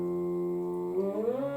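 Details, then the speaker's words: Stepper motor of a DIY lathe/mill power feed on a 24 V supply with pulse modulator, run on the bench in forward, reverse and varying speed; smooth tonal hum rising with speed, vibrating on the table, very quiet; normal stepper hum. "This motor is that silent. When you pick it up, you can't hear it. It's only vibrating on the table. So anybody who's going to mount this, I would mount it on a bit of a cushion, because it's just humming away."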